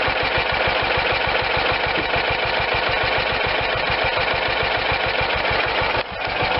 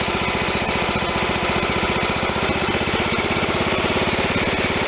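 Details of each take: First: John Deere LT160 lawn tractor, Kohler Command 16hp single-cylinder engine: slow loping chugging idle because carburetor idle speed screw was set way too low; turned clockwise a couple turns to raise idle to normal. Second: John Deere LT160 lawn tractor with a Kohler Command 16hp single-cylinder engine; after raising the too-low idle by turning the carburetor idle screw clockwise, it idles with a steady, even putter and sounds normal.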